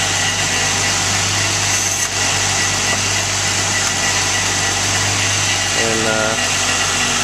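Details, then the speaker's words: 2013 Jeep JK 3.6L Pentastar after replacing a noisy idler pulley that made a turbo-like whine: even, steady idle with a smooth engine hum and no rising whine; belt drive and idler pulley running normally. "alright great success doesn't sound like I got a turbocharger spinning up anymore"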